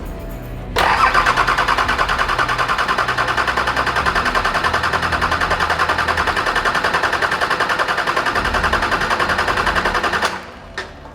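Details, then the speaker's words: Brand-new Nissan TD42 crate diesel just installed in a GQ Patrol, cranked without starting to build oil pressure: steady, even cranking about 3.5 turns per second for nine seconds, no firing; heaps of air in the fuel system, oil light staying on. "Well, it's not starting because there's heaps of air in the thing, but what we're doing is trying to get oil pressure, so the light should go out, but the light's not going out, and the gauge ain't going out."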